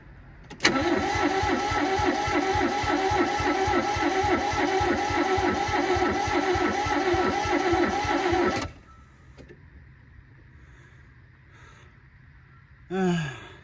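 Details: Barn-find Toyota Corolla AE82 4A-GE, priming fuel: steady starter cranking about 220 turns a minute for eight seconds then stops, never catches or fires; cranking, no start.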